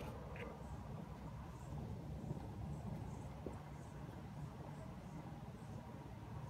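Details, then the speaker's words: Ecotec engine cold start after sitting 15 hours, following a full timing kit replacement (chain, guides, tensioner): steady low hum with no chain rattle or slap; 100% fixed. "that's obviously way way better no rattle no 100% fixed"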